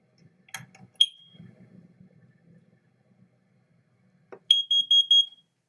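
A short chirp, then a quick run of about four shrill, high beeps from a carbon monoxide alarm under test.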